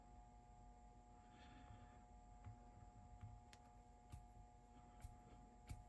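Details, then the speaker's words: Sony TC-K670 cassette deck tape transport motor after disassembly, oiling and pulley reinstall, previously noisy; soft, steady hum with only a few light clicks, no rubbing or squeal; runs quietly and freely now. "You see, no more noise. Nice and easy."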